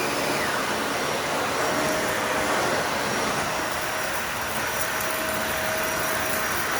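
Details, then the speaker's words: Dyson vacuum with uncleaned filters, brush roll off on hard floor: steady, even high rushing roar with no surging or pitch drop; handles it without trouble, all debris goes to the bin via its central cyclone. "Handled that no problem at all."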